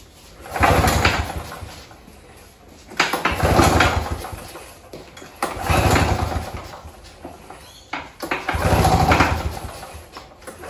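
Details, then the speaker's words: Victa Turbo Disc two-stroke curbside lawnmower, pull start fixed, fuel tap on, primed three times: four pull-cord whirs with no firing at all; cranks but won't start, spark check next. "so I've given a few pulls and it didn't even give us a splatter so let's go back to basics"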